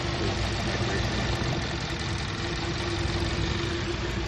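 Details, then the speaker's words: Car with check engine light, warm idle after code cleared and restart: uneven loping beat with occasional stumble and rough running; rescan shows misfire on cylinder 2, traced to the spark plug, before plug replacement. "One misfire on cylinder 2. So that means that the misfire is coming from the spark plug."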